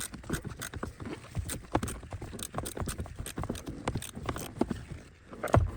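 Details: 2014 Ford Fiesta: repeated hollow clicks, a few per second in uneven bursts, from behind the dashboard. A faulty blend door actuator may be the cause; the fix is replacing the actuator.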